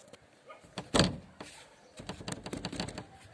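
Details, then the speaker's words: Rear swing (barn-style) door: rocking it gives one sharp clunk, then lighter knocks. Worn hinge pin and seat play, also felt from below when driving. Fix is a new pin with 15/20 mm plumbing rubber gaskets. "вот такая вот проблема вот здесь в этой части у нас"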